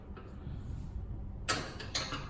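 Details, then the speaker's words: Kenmore 70 series washing machine, new lid switch installed to fix no-spin: two sharp crisp clicks about half a second apart; the lid switch actuates cleanly and works properly. "can hear it click that's a great sound to hear and the cabinet is now ready to go back on the washing machine"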